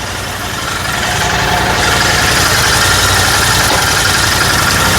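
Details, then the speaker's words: Royal Enfield GT650 twin after repair: it had misfiring, stalling and a starting issue, the starting issue fixed by replacing a blown fuse. Now a steady, even twin-cylinder idle beat with no stumbles or dropouts; normal idle. "വണ്ടി ഇപ്പോൾ എല്ലാം ഒരു ബീറ്റും നല്ല ബീറ്റായിട്ട് കറക്റ്റായിട്ട് വർക്കുന്നുണ്ട്. വണ്ടിയുടെ കംപ്ലൈൻറ്റുകളൊക്കെ ഇപ്പോൾ already മാറി."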